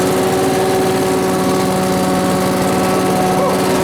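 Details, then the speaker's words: Small two-stroke blower started indoors with fuel newly drawn in: revs up and holds a steady, clean buzz without sputtering; normal running. "woo working now I say it's working"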